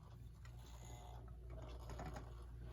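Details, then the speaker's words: United Metal Goods (Brooklyn) model 59 electric pendulum wall clock, decorative pendulum, plugged in. The motor runs with a loud, low, steady hum and a faint gear-like chatter: a noisy mechanism, before repair. "this one runs but it's very noisy and I'll plug it in and try to show you just how loud it is hopefully you can hear it"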